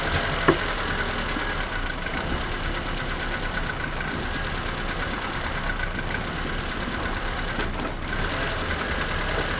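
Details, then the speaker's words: Renault Twingo after replacing the engine mounts, handbrake on, test in gear: steady, even low idle with smooth hum, no knocks or clunks; very little vibration, much better than before the repair. "और हमें लगता है कि वहां है बहुत कम कंपन यह पहले से काफी बेहतर है"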